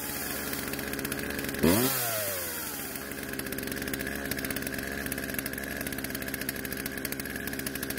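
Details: Poulan two-stroke chainsaw out of storage, after carb adjustment, chain tensioned and sharpened; revs sharply then drops to steady even idle, no hunting or stalling; idle speed needed adjusting to stop chain creep. Normal running.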